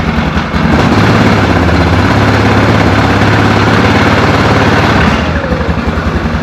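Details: 2004 Yamaha Grizzly 660 single-cylinder, old, after no-spark repair and oil change: steady, somewhat loose idle thump, no clear knock or miss; normal idle, carb cleaning and valve adjustment suggested.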